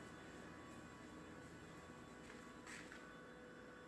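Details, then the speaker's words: 2016 Tesla Model X parked, unplugged, everything off, key fob far away: faint steady electrical buzz with fixed tones, seemingly from between the front tires; cause unknown. "Unplugged, everything's off, and the key fob is far away in the living room. And it sounds like it's becoming somewhere between the two front tires."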